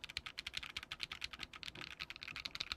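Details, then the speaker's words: KBMG68Pro (FK680 Pro) acrylic gasket-mount mechanical keyboard, newly built, hot-swap with PC plate: crisp, even key clacks in quick bursts, no creak or rattle between strokes. Sounds solid and healthy. "i think it sounds pretty good"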